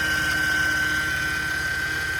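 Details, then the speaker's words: 2008 Mercedes C300 with stiff steering, idling after a power steering fluid top-up: steady high-pitched whine, louder when turning the wheel, plus slight chirp; suspected failing power steering pump (possibly rack), pulley also suspect. "But you guys can hear it loud over here. The whining noise."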